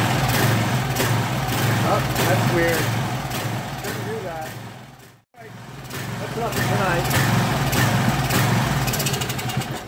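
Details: Craftsman 2700 psi, 2.3 GPM pressure washer with a Briggs & Stratton 275cc OHV Professional Series engine runs rough: uneven, lumpy surging with a brief cut-out midway, stumbling instead of holding a steady note. It is smoking and the carb may need drilling; cause unconfirmed.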